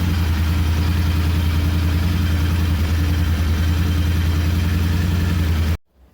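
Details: Royal Enfield Interceptor 650 parallel twin with a hard-starting problem: settles into a steady, even low thump at idle with no misses or knocks, then cuts off cleanly; runs healthy.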